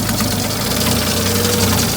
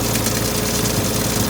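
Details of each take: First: New project car, a little smoke at start and probably stale fuel and oil: rough, busy idle with ticking and a faint whine; owner suspects the empty power steering and the water pump. Noisy idle, cause unconfirmed. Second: Old project car after adding power steering fluid, fixing a leak with a copper washer and topping up low coolant: smooth, steady idle with even pulses and no misses, knocks or whine, far better than before. Normal idle.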